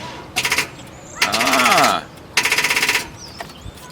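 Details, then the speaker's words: Car that won't start, parked at a park: three short cranking bursts with a rapid, even chatter that never catches, turning over sluggishly; sounds like a battery going dead, suspected before voltmeter testing. "better than that before yeah well kind of sounds like a battery going dead"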